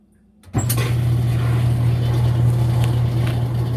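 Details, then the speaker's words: Whirlpool WTW5300SQ0 top-load washer after new timer fitted, spin cycle: motor comes in suddenly then settles into a loud, even low drone with no knocking or grinding; healthy spin. "there's you know so it sounds like when it's spinning"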